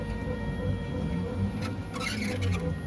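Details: One-month-old Bambu X1 Carbon 3D printer: stepper motor hum with brief, high, rasping squeaks. The cause was the Z-axis belt at the bottom of the machine rubbing the upper lip of the idler pulley, fixed with a little grease on the belt edge.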